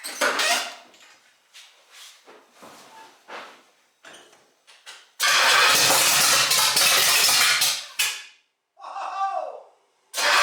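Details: 1968 GTO with a rebuilt Pontiac 400 stroker (461, hydraulic roller cam) on first start. Short starter bursts, then cranking that never catches, after the distributor was turned. The V8 won't fire because the ignition timing is off.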